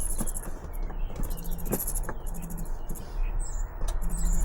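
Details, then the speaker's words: Heater in an ambulance-to-campervan conversion, turned just past halfway: a thin chirping squeak over a low fan hum as the fan rubs its plastic casing. Holding the cover down stops it; planned fix is a spacer. "but listen if I if I hold it down like that it's fine nothing serious BR nothing serious yeah a bit annoying it it's annoying"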